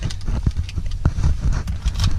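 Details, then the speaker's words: Mazda RX-8 rotary engine being cleared of deep flooding, clutch in and throttle floored, which cuts all fuel while starting: the starter churns the engine in uneven low thumps with no firing at all. "the gas now then start start start starting it and you'll hear that it's not trying to start at all holding the gas down all the way to the floor cuts off all fuel just when you're starting"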